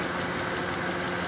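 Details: Car idling unevenly with fast, regular ticking pulses about six a second; sounds like a cylinder missing at idle, engine misfire.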